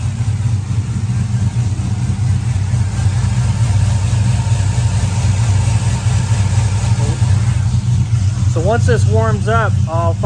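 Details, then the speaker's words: 2004–05 Chevy Silverado 1500 5.3L with Texas Speed Chopacabra cam, Speed Engineering long tubes and 3-inch single exhaust, cold idle just after start: deep lumpy lope about four pulses a second over exhaust drone; healthy cammed idle. "Oh, start to hear it starting to chop. Yes, sir, starting to chop."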